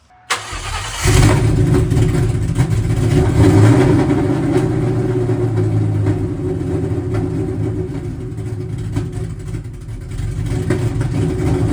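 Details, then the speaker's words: Ford Cobra V8 on stock tune with aftermarket cam and 24 lb injectors, idle screw opened about half a turn: cranks, catches, settles into lumpy uneven rough idle with backfiring; cause unknown. "cing 24 pounders, the car should run, but idle probably won't be too happy. I still hear the car backfiring a pretty fair bit."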